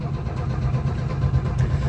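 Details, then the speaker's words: Old carbureted truck: steady, even cranking spinning freely but never catching; no fuel getting through, owner expects to pull the breather and feed fuel down the carb. "I just know that these old girls usually like a drink down the carb, and well, I didn't feel like pulling the breather off."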